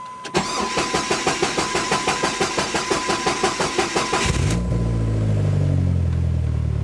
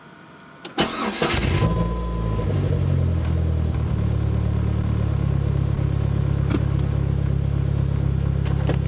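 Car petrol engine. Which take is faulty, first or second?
first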